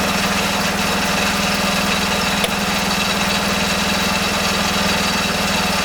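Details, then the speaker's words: Rebuilt Kohler K301 12 hp single-cylinder engine on a garden tractor, first start after reassembly: steady, evenly paced thumping with no misses or knocks; normal running, though the owner suspects a bad fuel pump. "If it did or not, it sounded like it ran."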